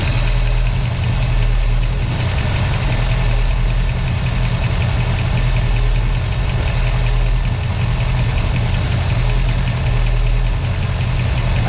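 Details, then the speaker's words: 1965 Mustang V8 at first start, after the timing was reset: deep, lumpy, rough idle with some shake. The owner suspects one side of the carburetor is clogged, since its idle mixture screw has no effect; a rebuild is likely. "there's something must to be wrong with this carburetor I got the idle mixture screws that one seems to work bring this one out yeah this one side of this caror must be must be cloged up because the mixture screw is not doing anything on this side"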